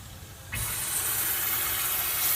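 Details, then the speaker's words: 6.0 Ford Powerstroke, engine off, shop air applied to the high-pressure oil system: a sudden steady hiss as air escapes on both sides past worn old-style 10 mm dummy plugs (worn completely through). "you can see actually I can hear both sides leaking with this but this one's pretty big going it's"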